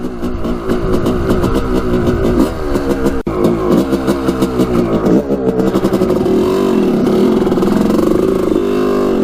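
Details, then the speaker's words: 1986 Honda CR250 two-stroke on its first test ride after repairs, accelerating hard in first gear: revs climb unevenly and stumble at low throttle before clearing, boggy bottom end in first and second, breaking up around quarter to three-quarter throttle; cause unknown. "i'm gonna gun it right here in first gear it really opens up in third gear but in first and second it's boggy on the bottom end"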